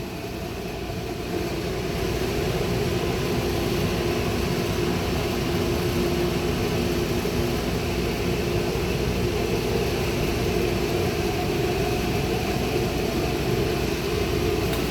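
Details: Lit burners in a BBQ concession trailer running on shore power, pilots already lit before the burner valves were turned on: steady even roar with no popping, sputtering or flutter; flames burning normally.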